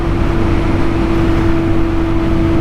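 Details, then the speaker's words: 2021 BMW R nineT Scrambler, 1,170cc boxer twin, shaft drive, at cruising speed: steady mid-pitched buzzing whine over the engine, rising in pitch with speed; knobby dual sport tires singing on pavement, nothing mechanical. "I honestly thought it was the motorcycle in front of me that had the exhaust, you know, it was high in the RPM range, but no, that's my tire. And the faster you go, the higher the buzzing sounds."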